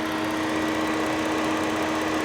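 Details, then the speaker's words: Steady, even idle hum with constant cooling fan whoosh, no misses or knocks, on an auction car (Ford Taurus or F150, unconfirmed) with A/C compressor engaging; normal idle. "she runs good the fan is turning the engine is on everything is fine"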